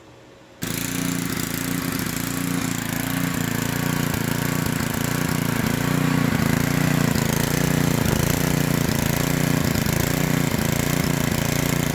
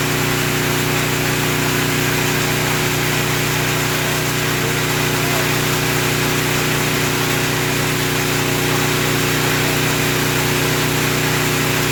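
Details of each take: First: Small generator engine surging, slow uneven rise and fall in speed instead of steady governed hum; carburetor removed and cleaned several times, adjustment screw helps but keeps vibrating back out — hunting RPM. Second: Small generator after the surging repair: constant engine drone with no rise and fall in speed; it runs steady without surging.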